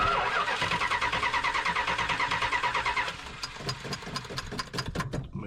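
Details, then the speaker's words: Mopar muscle car with an 11-year-old battery, starter jumped at the relay, spark confirmed: steady cranking at about three beats a second that never catches. Fuel is then checked and one carburetor side found not getting fuel. Cranks, no start. "let's check for spark we got spark guess we'll be checking for the fuel he said he had a runner a few days ago so shouldn't take much"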